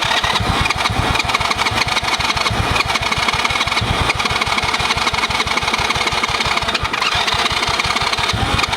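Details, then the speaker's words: Small kids' quad, bought for $150 after sitting for years, cranks in a steady rhythm with only a faint brief catch on choke after the spark plug was tightened, but never runs; suspected very old fuel, with plans to drain it, add fresh fuel and clean the carb. "You can tell that fuel was like 5,000 years old. We get somewhere when we put the choke on."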